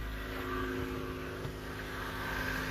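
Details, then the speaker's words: Car that had no spark or fuel for months now starting after a $20 part replacement (not the distributor), fuel pump heard priming: catches and settles into steady, even low rumble, no misses or knocks; normal running. "we got this thing running and it runs beautifully talk about fired up"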